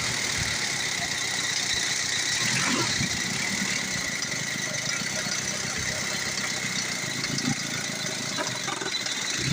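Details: Old-model Ford diesel that had been hard to start, running after injection pump and injector work: catches and settles into an even clattering idle, roughly four beats a second, no misses; normal idle.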